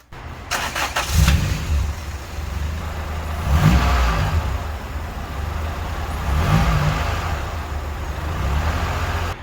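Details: 1991 Honda Civic hatch with a swapped B16A engine now starting; engine catches and keeps running, a low steady rumble with a few uneven swells every few seconds; normal start and run.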